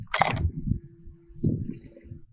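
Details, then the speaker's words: BS6 fuel-injected Hero Splendor (second-hand): ignition switched on, faint steady hum about 1.5 seconds as the fuel system primes, normal; fuel-injected bike needs at least 3 litres in tank, no reserve. "तो ये जो आवाज़ थी ये fuel injector की ही आवाज़ है।"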